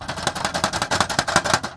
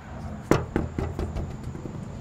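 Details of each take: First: 2021 Tesla Model 3 driving over bumps: quick bursts of hard, tinny plastic clatter from loose aero wheel covers whose inner retaining tabs were found broken off on all four covers. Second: 2021 Tesla Model 3 aero wheel cover, after bending the retaining springs back out to fix rattling over bumps: run of sharp, solid snaps about every quarter second as each clip seats, cover now held firmly.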